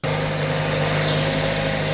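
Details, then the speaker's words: 2006 Mazda 6 petrol engine idling smoothly and evenly in cold weather, engine cover off, after fixing noisy hydraulic lifters; no more ticking from the top of the engine. "so here's the sound here's how my car sounds now uh no lifters no noise just a normal running"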